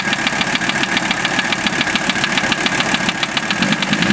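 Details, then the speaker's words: Toyota with an OM617 diesel swap, warm about 2-3 minutes after start, idling with a sharp, regular knock about 3.5 times a second at engine speed; unchanged by valve adjustment or cracking injectors, piston or connecting rod suspected. "It always runs a little rough when I first start it, but I hear the noise pretty easily now."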